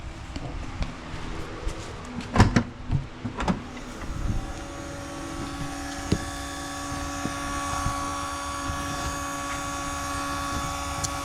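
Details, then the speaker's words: VW Jetta MK3 keyless entry central locking vacuum pump hums steadily after handling clunks, but the locks don't move; owner suspects a vacuum line leak or a pump lacking pressure, not confirmed. "so pump's working but it seems like I might have a leak somewhere one of the vacuum lines it's always been working till this pump St working"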